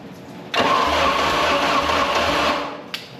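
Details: Mercruiser 3.0L that was seized and freed by beating on the starter: about two seconds of steady cranking that never fires, then winds down. Spark is doubtful and the points need cleaning; crank, no start, cause unconfirmed.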